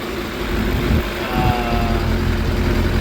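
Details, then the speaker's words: 2006 Suzuki GSX 600F Katana after carburettor air/fuel mixture screw turned in half a turn, iridium plugs fitted: steady low burble holding a stable idle around 1200 rpm with no hunting; still black smoke when revved; normal idle. "The bike sounds like it's idling more healthy, and it is stable at around"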